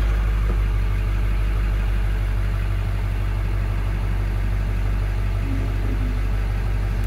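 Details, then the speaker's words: 1999 Ford F-250 Super Duty, 7.3L Power Stroke turbo diesel, 83,000 miles, 6-speed manual, 4x4, cold start: deep, even diesel clatter at a steady idle with no misses, knocks or squeals; healthy idle. "Go ahead and fire it up. This will be a cold start."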